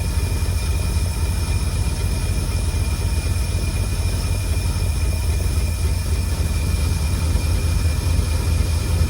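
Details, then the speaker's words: 1952 Cadillac Series 62 barn-find engine idling after the generator was oiled and the tank refilled with no active leaks: a smooth, even, deep idle with no whirring or ticking. The generator noise is gone and the engine sounds healthy. "There's no more worrying. And I put oil in the alternator or generator, whatever it is. So, it's definitely that that was making the noise. Boy, it sounds beautiful."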